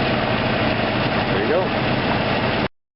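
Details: 1993 Jeep Grand Cherokee after exhaust manifold replacement: steady low rumbling idle with no loud ticking or puffing from the manifold; the leak is much reduced and the engine sounds settled and fairly quiet.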